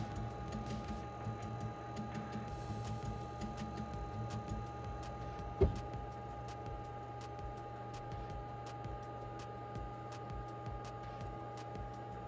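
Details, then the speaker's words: Glowforge Pro laser cutter engraver switched on at the rear power button: steady low hum with fixed whining tones and one sharp click partway through, even and unchanging; normal startup. "The power button is on the back side here, and this is what it sounds like starting up."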